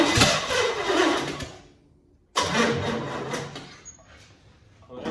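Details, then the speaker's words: 1963 Chevy C10 under restoration, fuel not yet reaching the carburetor, battery run down and needing a charge: two tired start attempts each catch briefly then sag and die as cranking fades; weak cranking from low battery. "We're out of power again, so you gotta let it charge. But we did get it to run."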